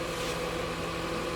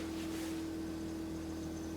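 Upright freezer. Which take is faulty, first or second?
second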